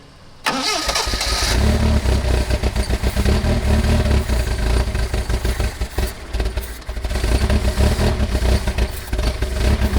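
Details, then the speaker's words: 1979 Lotus Esprit, carbureted: it cranks and catches, then runs ragged with surging and sagging revs. The glass fuel filter shows air bubbles and little flow. Fuel starvation is suspected. "is that filter empty that glass fuel filter yeah i mean i'm seeing air bubbles but i'm not seeing a lot of flow got any gas in it"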